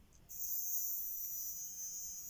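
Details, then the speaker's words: Hornby 3F Jinty 0-6-0 model locomotive motor after cleaning, decoder plugged in, run from a 9-volt battery held across the pickups: thin steady high-pitched buzz, even with no wavering; sounds healthy. "I might just quickly plug the decoder in and see what the motor sounds like. Hopefully it doesn't sound too ropey. I'll just hold the battery across the pickups. That sounds healthy."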